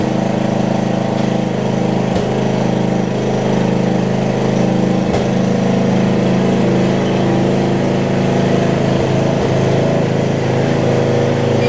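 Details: Murray rear-engine riding mower (RER) with a single-cylinder engine, idling warm after an earlier valve-grind repair. Steady, even putter at constant speed with no surging or missing, a normal idle. Spark plug was changed by the previous owner; the mechanic wonders if it may cause cold-running issues.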